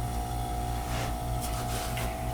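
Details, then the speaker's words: Statim 2000 cassette autoclave, dryer mode after dryer compressor filter change: steady low hum with mid-pitched tone and soft air rush; dryer compressor running normally. "we'll hit the dryer mode and start and you hear our compressor starting our dryer compressor which is what we changed the filter on"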